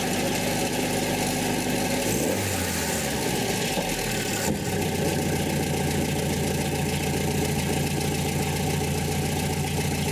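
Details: 1984 Nissan 720 pickup, Z24 four-cylinder, after replacing possum-chewed spark plug wires: after a brief change in tone early on, settles into a smooth, even idle with no stumble or misfire; sounds healthy. Normal idle.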